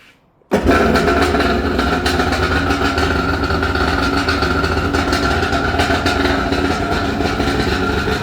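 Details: Vintage Kawasaki 550SX jet ski, original reed motor with stage 2 port, Coffman half pipe, dual 38 Mikunis, VF3 reeds, after full restore: quick start then steady, even two-stroke buzz, no knocks or misses; healthy, clean-running engine.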